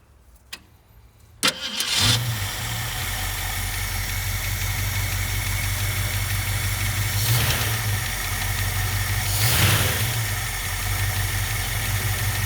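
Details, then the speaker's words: 1967 Ford Mustang convertible V8, parked since 1994, after replacing all fuel lines and rubber pieces: brief crank, then a steady low idle with a couple of slight rises; runs evenly, but smoking badly, gaskets presumed bad. "all right so we replaced all the fuel lines on it all the little rubber pieces and as you can see it is running it's smoking pretty bad"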